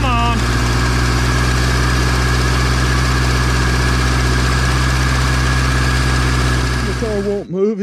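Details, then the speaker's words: 1979 Datsun revived after sitting about 30 years, transmission refilled, bent drive shaft stops it moving: steady, even idle with a smooth low hum and no knocks or misses; engine runs really good, normal idle. "so that's why she won't move but i gotta say she runs really good we might do something with that motor"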